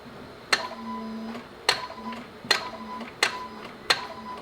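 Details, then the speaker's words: Honda Civic that won't start: five sharp single clicks about one a second with no cranking, starter engages but never turns the engine after being tapped; owner suspects the starter and plans to remove it, not confirmed. "huh well I mean you could definitely hear the starter clicking because what happens is when you turn the key the starter like pokes out and tries to turn"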